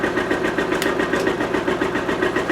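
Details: Kawasaki Mule engine running after its carburettors were rebuilt with new carb kits, jets cleaned and air needles set. A steady, even beat with quick regular firing pulses and no misses or knocks: normal running.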